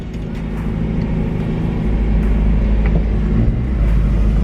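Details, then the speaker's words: 1991 Mazda Miata, hot from sitting in direct sun, idling a little high at about 1700 rpm with the AC on; steady four-cylinder hum. Broken alternator tensioner bracket only partly fixed, charge light still faintly on. "idling a little high all right so with the ac on we're idling at like i mean what is that like 1700"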